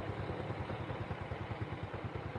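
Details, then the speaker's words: Small motorcycle engine idles with a soft, even low putter, no knocking or rattle; new piston fitted, almost silent and smooth, after steering head bearing replacement. "suara mesinnya teman-teman nyaris Nggak ada suaranya saking halusnya"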